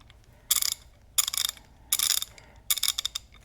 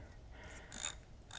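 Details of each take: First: Craftsman Gen 4 hand ratchet, not yet refurbished, being swung: four bursts of coarse, rasping, gritty clicks rather than crisp ones; a rough, grinding ratchet action, unlike a cleaned and lubed one that is almost silent. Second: Craftsman Gen 4 hand ratchet after refurbishing, disassembly and lubrication: a few soft, faint, barely audible clicks, smooth and in good shape, unlike the grinding of an unrefurbished one.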